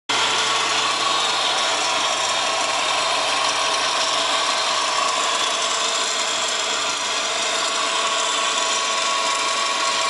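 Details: Subaru WRX GDB: steady, harsh, rattly grinding hiss in the engine bay from a bad A/C idler pulley bearing (solved by identifying the idler).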